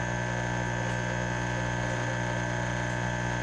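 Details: Pump station control panel, in operation since about 2003, with a mercury-driven level gauge. Pump 1 is running and emptying the wet well: a constant low electrical hum with steady tones and no buzzing, chatter or clicking. Normal mains hum.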